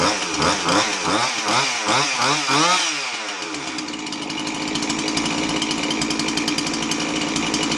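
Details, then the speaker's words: Husqvarna 350 chainsaw after replacing a fuel line that had a hole: catches, revs in rapid blips, settles into steady buzzing idle; starts and runs properly. "all right it didn't run too bad all it needed was that hose"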